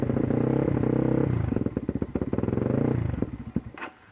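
Engine chugs with uneven, skipping firing pulses that grow ragged and farther apart, then it coughs and dies. It is misfiring and stalling.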